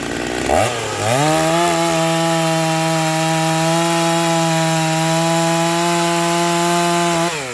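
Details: Vintage Stihl 036 chainsaw just rebuilt with an aftermarket Meteor piston and cylinder kit, new crank bearings and seals, new muffler and clutch, and a rebuilt OEM carb, cutting wood: steady, even high-revving scream holding speed through the cut with no stumble or bogging.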